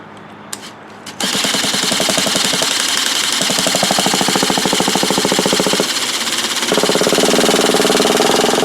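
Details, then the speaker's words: Traxxas T-Maxx 3.3 nitro RC truck, first cold start attempt after 8+ years sitting in a shed, mounted on a box: rapid buzzing starter whir spins engine for seconds but never catches; EZ-Start battery too weak, needs recharging. "so the easy star battery needs to be recharged and then we'll give it another try"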